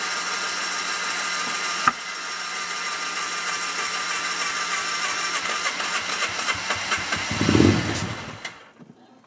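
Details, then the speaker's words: Hard-starting RZR, in low gear, with smoke coming from the back: it fires and runs ragged and uneven, then the note sags and dies away; it won't stay running. "Now I'm going to put it in drive so I can drive around the backyard and try and get things to stay running."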